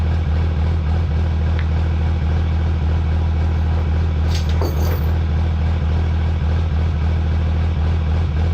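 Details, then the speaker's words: Cummins diesel drag truck, brought back from the track, rolled off the trailer: loud steady rumble with a gravelly marble-like clatter from the transmission; little reverse, it won't roll backwards. Owner suspects a destroyed sprag; transmission to be removed. "All right, well, it sounds like it has marbles in it. That's not good. And it doesn't want to roll backwards."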